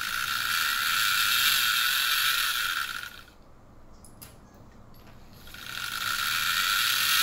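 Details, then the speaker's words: Wii U disc drive giving "invalid disc" errors: a harsh rhythmic ratcheting grind of about four clicks a second that fades and returns. The disc clamp is off-center, so the disc wobbles and rubs; the owner suspected the drive motor or guide bushing. "yep that's awful so I think I has to do something with the drive motor or the guide bushing something along those lines"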